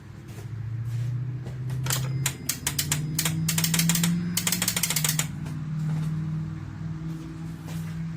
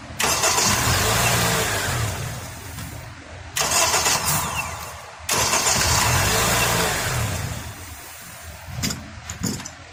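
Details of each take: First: Acura TSX with a defective starter: rapid dry tapping, several per second, with no engine turnover. The starter clicks but won't spin; knocking on it with a mallet eventually made it rotate, and it was replaced. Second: Acura TSX after starter replacement (old starter only clicked): brisk cranking catches quickly and the engine settles running, with a short horn blast mixed in; normal crank and start.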